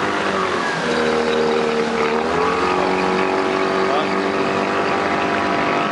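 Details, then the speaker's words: Original Tohatsu 20 HP outboard on a boat, cooling normally. Steady, smooth drone that rises and settles cleanly with throttle, with no misfire or knock: running normally. "tá refrigerando normal, tá? Tá redondinho, tá?"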